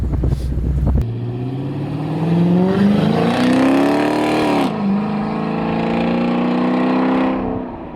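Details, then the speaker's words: Dodge Monaco body swapped onto a 2011 Chrysler 300 Hemi, accelerating hard around 45 mph: rough rotating drone following road speed from the right rear, present before the swap. "There is something heavily rotational in the right rear that is not happy."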